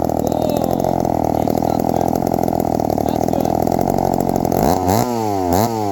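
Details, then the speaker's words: 1972 Remington two-stroke chainsaw after the idle screw was adjusted; it buzzes evenly, then drops to a steady idle with blips. The idle is now set and it runs well. "yeah I think I'm happy where she's at she's sounds like she's pretty idled which is pretty well good so I think it's addled pretty well"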